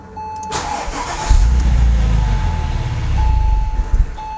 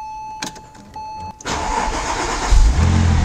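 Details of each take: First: 2004 Porsche 911 (996) Turbo during an oil change with fuel pump fuse C4 pulled to clear the fuel rails. It catches and idles for about three seconds, then sputters and dies: engine stalling from fuel starvation. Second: 2004 Porsche 911 (996) Turbo starting right after an oil change, with the fuel pump fuse refitted after the pre-lube. Chime, a short crank, then it fires straight up, flares once and settles into a steady idle. Oil pressure comes right up and the engine is still cold: a normal start.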